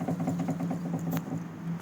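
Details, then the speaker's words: VAZ 2107 with Trek steering linkage kit, knocking after about 3,000 km: quick regular dull knocks about eight a second as linkage is rocked by hand; outer tie rods fine, center tie rod knocking. "То есть здесь нормально, здесь тоже не стучит. А вот средняя часть стучит."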